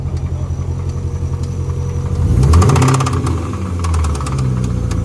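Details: Chevrolet C6 Corvette with a deep rhythmic knock about four times a second over a rough idle, louder when revved; owner suspects rod knock or possibly a motor mount, unconfirmed.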